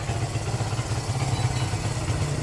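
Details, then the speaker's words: Barako 175 single-cylinder motorcycle, cold engine, after new float valve seat, carb tuning, valve clearance, decompression adjustment, cleaned tank, air filter and plug: steady, even idle putter with no knocks or misses; formerly hard start now easy; normal idle. "easy click na siya mga lods. Madali na siyang buhayin eh."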